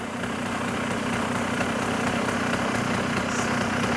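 Even putt-putt at about four beats a second, holding steady without hunting or stalling; a healthy, well-set two-stroke idle.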